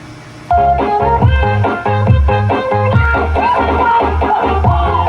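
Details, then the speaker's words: Original Konzert AV-502C amplifier, which had distorted sound, fed from a cellphone straight into the amplifier stage with the input removed: music clear and undistorted, with no crackle, hum or clipping, on each channel; the output stage is fine. "Good. Good yung tunog. 'Di ba? Malinaw?"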